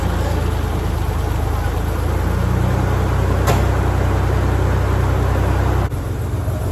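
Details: 1987 Ford Bronco II, revived after 15 years, restarted after sitting a week in a shop at about minus 15 outside: a steady, deep rumble with even firing apart from a brief click. Healthy idle before driving.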